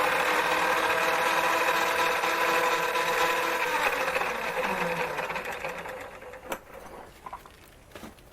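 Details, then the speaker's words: Lathe that had started screaming, now reassembled after a motor check (brushes fine, clean commutator) and drive belt retensioning: even whine with steady gear and belt tones, then the pitch falls smoothly on coast-down, normal running. "well i'm back in business again"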